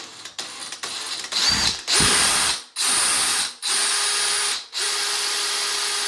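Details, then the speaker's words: Drilling ceramic tile with a Bosch Expert 6.5mm bit to a taped depth of about 10mm: short bursts of a high, even whir after an audible crack through the glaze. Bit cuts through in seconds without labouring. Normal. "Easy as that. So it went through that tile in seconds."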